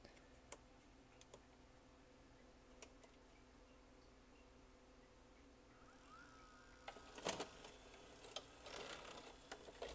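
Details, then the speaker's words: Sylvania SV2000 VCR/DVD combo that eats tapes, after cleaning the mode control switch: pressing play brings faint clicks, then a whirring motor and mechanism clatter as it ejects the tape without rewinding; cleaning fix did not work. "and it just ejected the tape and didn't even bother winding it back up so unfortunately our easy fix did not work"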